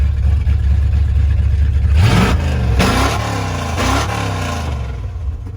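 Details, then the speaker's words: 1987 Ford Bronco XLT, cammed 351W V8 with 4-barrel Holley Double Pumper, headers into straight-piped true duals, no mufflers: loud fast lumpy idle with sharp blips; high idle, carburetor out of tune, header gasket leak on the passenger side. "there's no Muffler basically straight pipes loud as hell there's the high idle right there"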